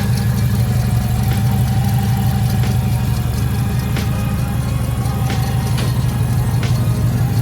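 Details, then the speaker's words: 1976 Subaru 4x4 Wagon just after a service and four new spark plugs: a steady low idle with an even pulse about three times a second and no stumble or miss; normal idle, sounding much better than before. "now that did sound a lot better than before"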